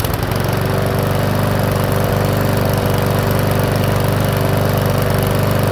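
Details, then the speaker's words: Powersmart 170cc lawnmower after a valve adjustment, governor tab bent to raise speed from 2900 to 3100 rpm: smooth, constant high drone with no surging. Normal running at governed speed. "all right so just a really minor um adjustment on that actually brought up to 3100 RPMs and I know that's suitable for some lawnmowers and I'm thinking it's suitable for this one"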